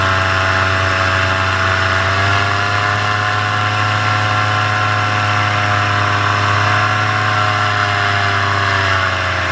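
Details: Paramotor in flight, throttle held wide open: high, steady buzzing drone with constant pitch and no surging or misfire. This is the normal full-throttle baseline, recorded before the engine later began losing power and bogging.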